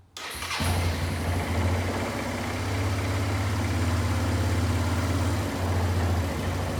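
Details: Barn-find Kawasaki Bayou 220 ATV, test drive after repairs (filthy carburetor cleaned, new battery, oil and air filters, rack straightened, rear right wheel bearing and seal): quick start, then steady even low idle, no knocks, misses or rattles; runs really good, no issues.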